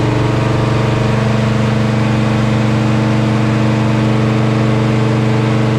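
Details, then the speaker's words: Chevelle with unrebuilt 402 big block V8 on a dyno during tuning: loud, held flat at high revs with a steady stutter about four times a second, will not rev past 5,200 rpm; cause unknown. "right, guys. Well, as you guys can see here on this little graph here on the dyno, the car will not rev past 5,200 RPM."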